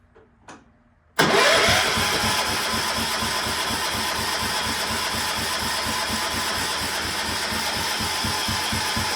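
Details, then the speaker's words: Cub Cadet 1250 engine, unrun for seven years, restarted with the throttle at full: it catches with a sharp bang, then settles into a fast, steady full-throttle run; a backfire on start, and the owner thinks it runs very rich and needs carb adjustment. "wo that was a good backfire yeah that was legit"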